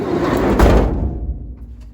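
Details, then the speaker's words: Van conversion door shutting before sound deadening: heavy thud then a lingering low metallic hum; bare, undamped sheet-metal panels ringing. "it's that ring at the end of the door shutting that I'm really talking about here. So I'm just going to play it a couple more times so you can really listen out for that like hum, that ring once the door shuts."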